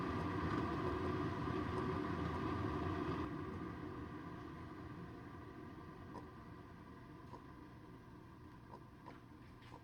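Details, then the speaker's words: Keurig K-Cafe coffee maker after brewing: steady bubbling rumble of internal water tank heating fades over ten seconds ending in faint clicks; normal heating finishing, after which the milk frother starts automatically. "But now that water tank's heating up. So you hear that water boiling."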